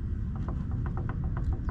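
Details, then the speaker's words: 1998 Chevy C1500 with 6.0 and 4L80, newly installed Yukon clutch-type posi with 4.10 Motive gears, after the second assembly attempt: light regular click-clack about four or five a second as the axle is turned by hand; posi working as intended. "There it goes. That's the noise that we want. The click clack. Click clack."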